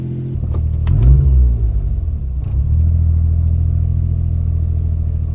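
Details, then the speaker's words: Suzuki Alto Works after a hard pull: idle swings from about 2,000 to 1,000 rpm before steadying. Owner notes his Cappuccino did this from a coolant issue, but nothing is confirmed here. Idle surging, cause unknown. "look at this now it doesn't want to Surge but it'll go from 2,000 to 1,000"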